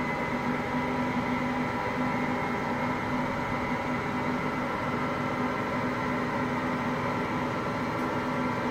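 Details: Hotpoint Aqualtis washing machine, bearings just started to go today: constant low rumbling roar under a steady hum as the drum turns, no rhythm changes; worn drum bearing beginning to fail.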